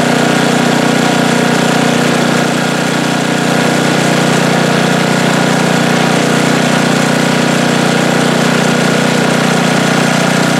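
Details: Snowblower small engine after squirrels chewed the gas cap and water got into the tank, with fuel tank, hoses and carburetor serviced: steady even drone, no hunting, surging or dropouts; normal running after the fix.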